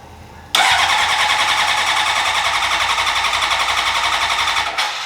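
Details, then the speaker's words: 2003 Honda CBR600RR, first start attempt in 18 years after new ECM, fuel pump, relays, battery: starter whirs about four seconds with weak catches but no firing; fuel smell, wants to start. "Oh, yeah, it definitely wants to start. Oh, you can smell it, dude. It stinks."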